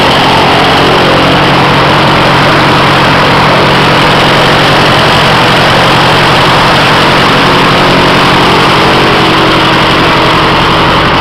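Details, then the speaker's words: Stock Continental 4A032 air-cooled four-cylinder on resilient mounts in mini airboat, magnetos on, pull-started, thumb over microphone: even smooth beat, steady hum, no knocks or misses; normal running, far smoother than previous Briggs & Stratton. "I try to do this one-handed this engine is very very smooth compared to the old break Strat"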